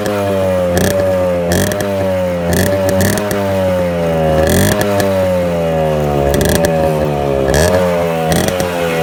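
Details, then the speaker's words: 2001 Suzuki Samurai two-stroke motorcycle freshly started after about two years unused: crisp buzz rising and falling smoothly with throttle, clean and steady, no misfire, knock or rattle; healthy normal running. "നമ്മുടെ Suzuki samurai 2001 model വണ്ടിയാണിത് ഇത് start ആയിട്ടുണ്ട് ഏകദേശം രണ്ടു വർഷത്തിനു ശേഷമാണ് ഇത് start ആകുന്നത്"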